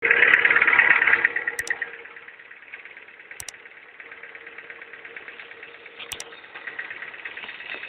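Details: Ford car engine at idle, burning smell noted: a light, fairly regular tick around three per second over a faint hum; abnormal engine noise at idle, cause unclear.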